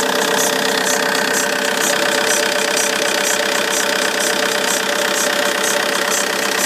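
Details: Vauxhall Insignia 2.0 CDTI diesel (2009, 59 plate) at cold start: steady idle with a sharp, even tick about four times a second from the alternator side; goes away once warm; owner suspects belt, pulley or tensioner.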